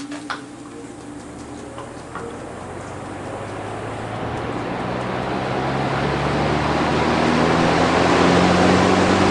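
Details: Vintage Dominion two-speed box fan, bearing previously fixed by oiling: motor spins up from rest, hum and airflow rising steadily and evenly with no knocking or blade strike; runs smoothly.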